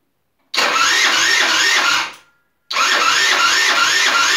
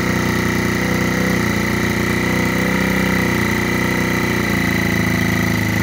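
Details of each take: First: Rebuilt GY6 50cc 4-stroke Sprint Max scooter, first start attempt on the electric starter after rebuild: two bursts of starter whirr with slow, labouring compression beats about three a second, never firing. The battery went flat overnight. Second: Rebuilt GY6 50cc 4-stroke Sprint Max scooter, first run after rebuild, started by kick and then by the electric starter: quick, even single-cylinder putter settling into a steady idle, clean with no misses or knocks.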